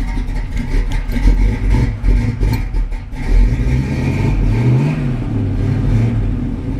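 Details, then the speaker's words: 1968 Pontiac Firebird on a hot day, run about 2-3 minutes, 50 psi cold oil pressure, temperature about 160: deep throaty burble swelling with a couple of throttle blips and settling smooth; healthy engine and exhaust. "It's got a rumble, doesn't it?"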